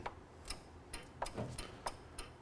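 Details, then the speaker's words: Ford Mustang Mach 1 power window circuit: sharp, dry clicks repeat about three times a second as the relay energizes normally, showing the circuit breaker and relay work; the car has sat a while. "so we can hear the relay clicking so we got the circuit breaker Works relay works"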